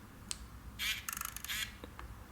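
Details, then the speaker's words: Ricoh GR1s film camera, back open, failed mid-roll with no drop or damage: a few sharp light ticks and a brief clattery buzz of clicks replace the normal shutter snap; aperture closes fully and flutters, shutter never opens. Cause unconfirmed. "but if you listen carefully you hear that the the shutter opening sound is actually uh it's like a clicking sound instead of the normal shutter sound"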